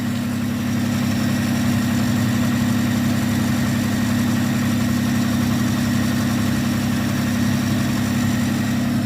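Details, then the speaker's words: 1995 Nissan pickup 3.0L V6, automatic, about 441,000 miles, Flowmaster cat-back exhaust, previously cutting out when warm: steady hum at slightly raised idle, no misses, ticks or knocks; normal idle. "running good finally this engine has almost a half a million miles with the odometer 400 and almost 41,000 miles on this thing running strong as ever automatic Barney the Beast"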